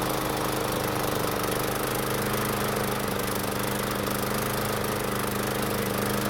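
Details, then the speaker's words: Toro commercial mower single-cylinder engine test run after tune-up: steady chug with uneven, lumpy beat, smoking more than wanted at start; oil level not overfilled, owner suspects piston ring wear, cause not confirmed. "to be honest I'm not entirely happy with how this test run went so first off the engine was smoking more than I would want it to at the beginning and secondly it could be running a little bit better"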